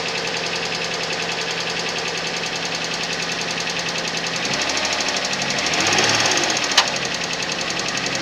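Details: Suzuki Vitara engine at cold idle with sharp metallic tapping roughly four per second, rising briefly with a throttle blip; cold-start knock, source unknown.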